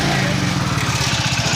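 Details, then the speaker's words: Hero Splendor+ BS6 single cylinder at idle after tappet adjustment (earlier abnormal noise blamed on tappet and timing chain): smooth, even putter with steady beat, no top-end ticking; engine running healthy. "देखिए sound smooth हो चुका है sound जरा से भी ड़ जाड़ नहीं हो रहा है"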